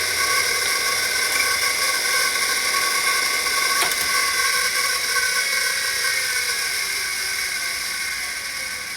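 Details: Old 5.25-inch full-height Maxtor XT-1000-series MFM hard drive running: steady high-pitched whine with a hissy edge, constant speed; noisy drive, bearing thought to need lubrication.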